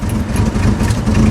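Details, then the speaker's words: Jeep idling steady and even with no misses or stumbles after the timing was adjusted, no throttle given. Normal idle. "Yeah, that was a lot better. I think that's right. I didn't even give it really any gas. I think it's good now."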